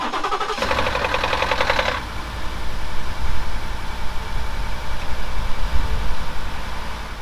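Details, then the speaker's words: 2018 Ford F-150 5.0L V8 after a cold soak of several hours: harsh metallic rattle for about one to two seconds on cold start until oil pressure builds, then steady idle; failing cam phasers (VCT units). "it'd make a horrible rattling sound for about a second maybe two and then once oil pressure built up the noise would go away"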